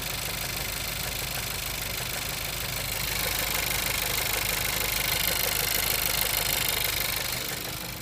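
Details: Skoda Kodiaq engine at idle: a light, fairly regular tapping, about two per second, over the engine hiss; knock, cause still unknown.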